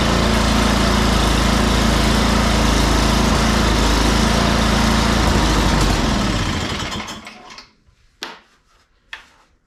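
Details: Free salvaged snow blower, oil checked and tires filled, plugged-in electric start after priming; small engine runs smooth and even, then shut off and winds down; normal running.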